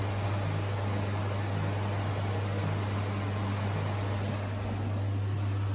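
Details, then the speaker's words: Winterhalter GS502 dishwasher, rinse pump (not the main pump behind the boiler) transferring hot water from boiler: constant low motor hum, no rattle or surging; normal rinse pump operation. "And now you put here the rinse pump start to transfer water from the boiler from the boiler. So it's not this big one."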